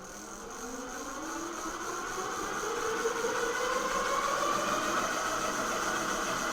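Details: Engwe L20 3.0 e-bike tilted with the rear wheel off the ground, throttling after the speed limit was changed from 20 to 28 mph. A smooth electric whine rises steadily as the hub motor spins up, with no grinding or clicks. The motor is healthy.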